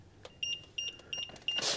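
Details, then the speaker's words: Infinity Shield 2025 garage door safety sensor, receiver side with beeper switch on during wiring polarity test: short high-pitched double beeps about three a second, receiver powered and working normally. "Now when I'm connecting the receiver side, I like to turn the switch on so that I could hear the beeper. And then test the polarity."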